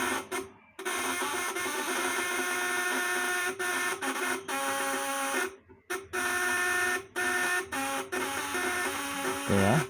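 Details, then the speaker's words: Fish-shocker inverter (setrum, 8 ons, 400 V AC) with 1000 W load on 12 V, platinum vibrator contacts; steady shrill buzz, high even whine, brief dropouts, contacts more high-pitched under load, working normally. "Nah setelah si beban 1000D nyala nggak ya 12v nyala nggak tapi dia seribunya hanya kecil nah nah disini nyala ya dan platini itu lebih melengking"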